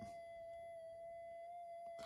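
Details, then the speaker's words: Minelab GPX 5000 metal detector with loss of depth: touching a probe to the op amp output gives a steady, pure tone with faint overtones where it should be silent; noise suspected from the 4053 or the mylar strip. "if I get in here and I touch the output there it makes a bit of a noise"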